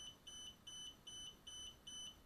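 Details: DJI Spark remote controller after power-on: steady run of short, high double-pitched beeps about twice a second without pause, no signal or image; continuous warning beep, not a connection or calibration issue.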